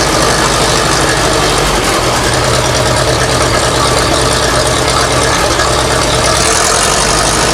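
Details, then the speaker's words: 1960s Massey Ferguson 165 tractor after a part was refitted; a vacuum leak at its gasket was suspected: steady low thrum with even firing beat, no stumbling or knocking. Normal idle; running again. "Well, guys, that's going to do it. We got the old 165 up and running again."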